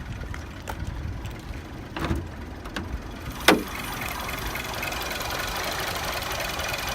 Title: 2009 Passat CC hard start